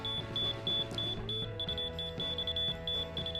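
Fast repeating high chirps, roughly three a second, over room noise: the receiver is calling for the rod to go up, below grade.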